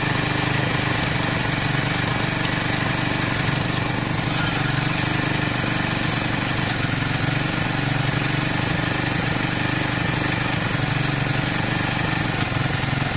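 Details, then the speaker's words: Lexmoto Valiant EFI-to-carburettor conversion, no airbox; revs drop back slowly and unevenly after blips, slight hanging; owner distrusts the carb, mixture close. "Revs hang a little bit, don't they? A little bit. It's close. It's very close, guys. It's very close."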